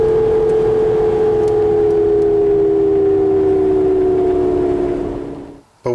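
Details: NP247J transfer case from 1999 Jeep Grand Cherokee Laredo, while driving: clear steady whine/growl over drive noise, dropping in pitch as vehicle slows; suspected bad ball bearings, teardown found no clear cause, replacement unit cured it.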